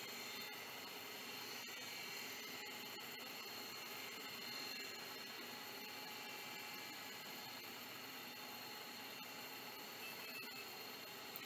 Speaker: perfect that sounds like it's working fantastic